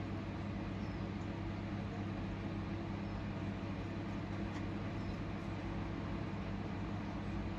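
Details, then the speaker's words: Bilge pump emptying a boat's engine bay: steady low motor hum with a light gargling hiss as it draws air, meaning the bilge is nearly dry. "That indicates that noise that it's pretty much done. Pretty much run out in a second."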